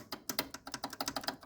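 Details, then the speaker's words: Playmatic Harem pinball machine on credit button press: rapid uneven crisp clicking bursts, several per second, no motor underneath; a relay chattering, activating but not pulling in cleanly. "okay i think i see this relay is activating"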